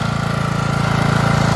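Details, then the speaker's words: Lawn tractor in winter cold, cranked over very slowly for a couple of revolutions before firing: small single chugging fast and even at about twenty beats a second with a steady low throb. Running normally after a cold start. "as you can hear got the lawn tractor running it just cranked over real slow a couple of revolutions and it fired up"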